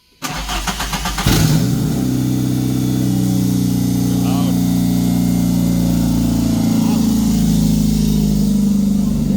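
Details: MK1 VW Rabbit pickup after an engine swap, started while an aftermarket gauge is checked; oil pressure reads 80 psi. Cranks briefly, catches cleanly, settles into a steady even idle, no knocks or misses. Normal start and idle.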